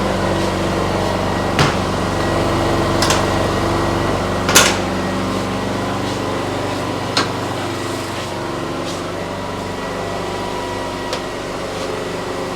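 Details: Briggs & Stratton P3000 PowerSmart generator after fuel pump replacement and tune-up (no-start from old stale gas), on premium non-ethanol fuel, powering a plugged-in power tool: steady even hum, few handling clicks; runs smoothly, though fuel shutoff later found leaking.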